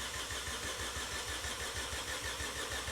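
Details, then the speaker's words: Vauxhall Corsa with replacement engine, coils disconnected to build oil pressure, in neutral, wheels off the ground: even starter churn about three beats a second, no misses or knocks; turns over freely, healthy cranking. "I mean, it sounds healthy turning over, which is a good sign. It's not going whoop, whoop, whoop, No. you know."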